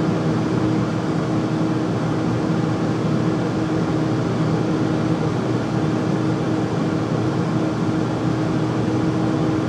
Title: Furnace making loud noise when running